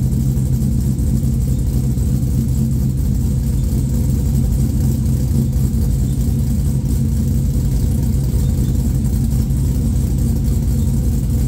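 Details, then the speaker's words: Idle of a freshly built LQ4 V8 swapped into a 1985 Pontiac Trans Am with a hot aftermarket cam and 4-inch exhaust, at its first start; deep, loud, lumpy uneven lope over heavy exhaust rumble, pretty loud and mean: normal cammed idle. "now you can actually get an idea of how this thing sounds with the red hot cam as it is pretty dang loud with the 4in exhaust it sounds pretty mean"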